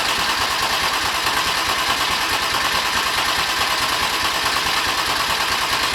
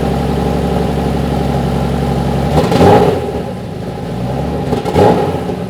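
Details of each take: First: BMW M50/M52 straight-six turbo build, already filled with oil, cranked before its first start to bring up oil pressure: even, rhythmic starter churn that never fires; engine turns over steadily and normally. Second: Turbo-conversion BMW M50/M52 straight-six after new high-output coils and a 4-bar MAP sensor, fuel pressure set to 3.5 bar: first start; a fast, slightly uneven idle around 1300 rpm with two throttle blips, a high idle.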